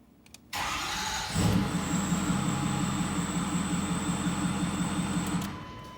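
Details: 2008 Ford 6.4L Power Stroke diesel after fuel filter change, Sea Foam injector cleaning and DPF delete, fuel system primed by key cycling: brief crank, then fires right up and settles into a steady, even idle with no misses or knocks.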